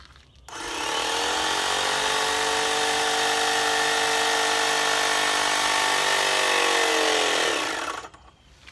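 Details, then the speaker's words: Graco Magnum X7 airless paint sprayer, first use, switched to spray at a low pressure setting: motor spins up to a steady, fairly high, clean whir, then shuts off; normal pump run-up building pressure. "Okay, so when you have it set to spray and you turn it on, it's going to rev up like that to build up pressure, and then you should be ready to go."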